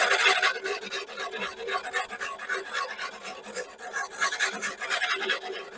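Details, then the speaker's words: Battery-powered reel lawnmower with drive removed, reel driven backwards by drill during backlapping with abrasive paste: steady gritty rasping rub of reel against bedknife along its length, tightened gradually with two screws until cutting cleanly. "abrasive tout le long jusqu'à tempant que on entend qu'il y a un bon frottement et on va resserrer progressivement avec les deux vis là le temps d'avoir quelque chose de de nickel qui coupte bien"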